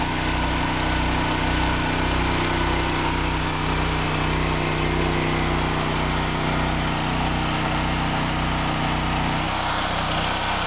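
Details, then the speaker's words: Standby generator on a 2013 test run, powering the whole house through an interlock with the main breaker off and the air conditioner breaker switched on. Steady engine drone with an even low throb about twice a second, holding speed smoothly under load. Normal running. "The generator breaker is turned on, powering the house. And I'm turning the one air conditioner breaker back on. So now the whole house is powered by the generator"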